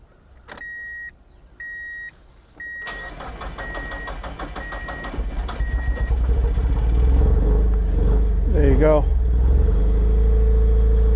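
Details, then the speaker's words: NB2 Mazda Miata with VVT on a newly installed RusEFI standalone ECU running an untuned base map, cold start after about three tries: loud, unsettled, hesitating idle; rough idle from untuned ECU base map. "It's pretty rough. I got to dial down this tune. It is starting running. It's a cold startup."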